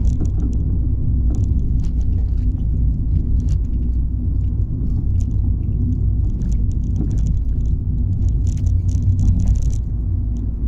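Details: Fiat 500 driving on normal and bumpy roads and humps: over steady road rumble, occasional sharp knocks on rough patches, a loose banging/clunking underneath the car every drive; cause unknown.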